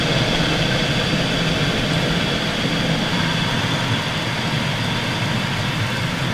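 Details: Mitsubishi Chariot N43W with 4G63 turbo, microphone clamped in the fender, 2–4 kHz emphasized: from about 15 seconds a constant thin scraping, shushing hiss over road and engine drone while driving; owner suspects the brakes.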